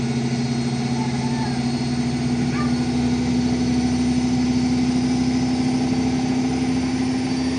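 Drum spins up with a steady hum and a rising rumbling roar as it speeds up; worn drum bearings.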